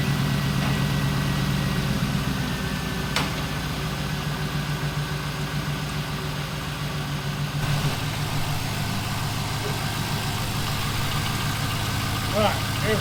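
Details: 1999 Pontiac Trans Am Ram Air WS6 V8 idling smoothly with a steady low rumble, no knocks, misses or hunting; normal idle after headlight motor, seat and maintenance work.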